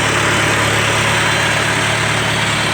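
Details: Freshly rebuilt engine on Farmall Super A tractor, out of gear with PTO off, rings not yet seated, puffs smoke after sitting until warm: steady, even idle, smooth low hum, no knocks or misses; normal idle.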